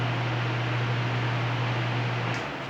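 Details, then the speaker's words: Arno Silence Force 40 cm fan fitted with an incompatible universal oscillation gearbox: a constant low hum with a rough noisy whir, and the fan does not oscillate. Gearbox noise. "não Oscila e fica com esse barulho"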